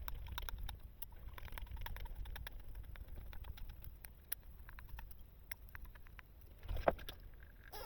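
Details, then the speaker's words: Kyosho Inferno diff gears turned by hand: light uneven ticking and crunching because the bevel gear mesh has hardly any backlash. "All right. So, you can hear that noise now. That's got hardly any backlash."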